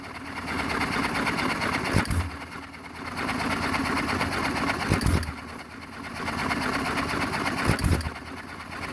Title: JOHN DEERE 1 1/2 HP HIT MISS ENGINE FIRST START AFTER REBUILD